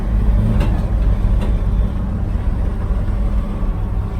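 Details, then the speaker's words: 1969 Chevy van, off the road 35 years, idling after a cold start unstarted for a week: deep uneven idle with buzzy rumble and light taps as loose body metal vibrates. Leaks and rattles later addressed by welding and seam sealing. "So you can hear it vibrating right now. Everything's just"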